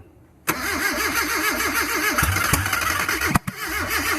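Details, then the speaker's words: Mazda B2000 pickup after intake manifold replacement: steady rhythmic cranking with a few pops as it nearly fires but never catches; no fuel seen at the injectors, fuel pump suspected, firing order also to be checked after blowback. "So it's something other than, so I think it's a fuel pump. The fuel pump could be because I didn't see any fuel coming in through the needles at all."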